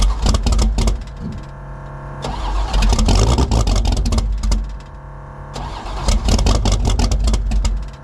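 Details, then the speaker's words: DragStang Mustang V8 cold start at about 20 degrees, with no choke and an oversized Pro Systems 878 CFM carb: long rhythmic cranking at about four strokes a second with brief catches before it finally fires and revs. "It took forever. Cranked it, cranked it, cranked it, cranked it, got it started."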